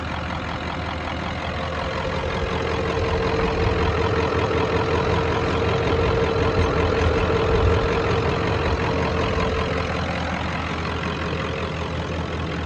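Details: 1994.5 Ford Power Stroke diesel ranch truck, 384,489 miles, standard transmission, just back running after shop work; steady diesel clatter with even low rumble at idle, no misses or surging; normal idle, running fine.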